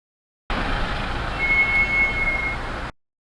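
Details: Mahindra XUV700 AX7L, 2.2L mHawk diesel, automatic. Thin high brake squeal for about a second when coming to a complete stop, recorded on dashcam. Started after front pads were replaced at the 20,000 km service.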